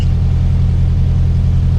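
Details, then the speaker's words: ALH Jetta just after replacing worn camshaft and lifters, cold start in snow, revved high: lifter tick goes away and engine settles into a steady, even low-rumble idle; healthy. "There we go. Tick's gone away. It'll probably idle."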